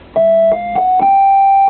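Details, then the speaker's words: Vox Super Continental organ: held notes each carry an unwanted extra pitch a minor third off (one an octave), persisting after a note card swap; caused by dirty ground buss connections. "okay you hear that what note is that yeah it's a right it's a minor third always not a major"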